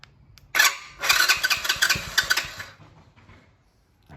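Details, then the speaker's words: 2020 go-kart just fitted with a new PZ20 carburetor, on the first start attempt: fires for about two seconds of uneven popping, then dies. It starts but won't keep running; it later ran, and the carburetor was the problem. "me pull on the throttle cable let me choke it a little bit see what happens hold the choke so close so close all right well that's a good start i think that hardware was an issue"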